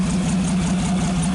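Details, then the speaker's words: 1948 Nash engine after carburetor cleaned, exhaust pipe fitted, running down low; smooth low even idle with soft steady pulse, no miss, stumble or knock, no smoke; healthy idle. "hard to say what it sounds like on camera but it really sounds good no smoke whatsoever got the exhaust pipe on just running down down"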